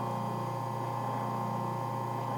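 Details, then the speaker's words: Vintage H-G 1/4 hp four-pole split-phase AC induction motor, 110 V, 50 cycles, 1450 rpm, 5 A, sitting on a plywood counter: one more start, then a steady, clean hum with no knocking or rubbing; runs normally. "how about one more start that sounds pretty damn cool for a split phase probably sounds extra good because it's sitting on this plywood kitchen counter"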